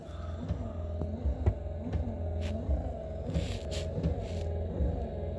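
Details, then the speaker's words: 1973 Plymouth Scamp wiper motor tested after new wiper bushings: even low motor hum with steady sweep about every 0.7 seconds, no strain; runs normally, parking not tested as dash wiring incomplete. "Let's see if it works. Do I have to put them together? Yep, I do. She's working."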